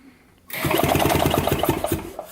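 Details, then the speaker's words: 1970 Harley-Davidson two-stroke golf cart engine, sitting 40 years, cranking with spark plug out: brisk, even chuffs about a dozen a second; turns over freely with good spark. "now it's not turning over there we go oh that sounds good see we've got spark here now we're fast enough at least oh yeah good spark sweet"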